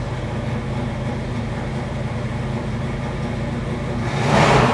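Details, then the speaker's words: 1966 Chevrolet Chevelle SS396, numbers-matching 396 big block, Holley 4-barrel, points ignition, hood open: deep lumpy V8 idle, even firing, clean throttle blip near end; normal healthy idle. "we're going to fire the motor up let you hear what this big block Chevy sounds like"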